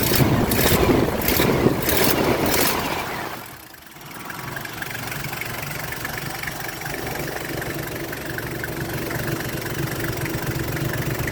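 After a few seconds of handling noise the engine settles into a smooth, even idle with no squeal or chirp from the belt.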